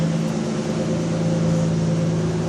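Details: 1989 Toyota Supra 7M-GE, nearly warm idle after timing fix: smooth, even low idle drone with no ticking or tapping; engine runs cleanly, though still using a lot of fuel, so exhaust cam adjustment is being considered.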